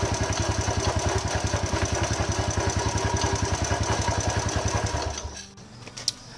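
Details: Motorcycle engine with a rough-running complaint: lumpy, uneven idle thumping about 3.5 times a second with harsh vibration, then dying away; cause is a worn cylinder block and broken bearing.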